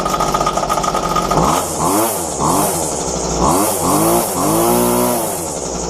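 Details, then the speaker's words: Roadside-found McCulloch two-stroke strimmer after fuel line replacement, restarted once cooled down. It revs up and down in clean bursts, picking up and settling evenly; the fuel lines were the only fault. "so there you have it all it was was a few lines I haven't even had to churn it up on nothing on it and it run"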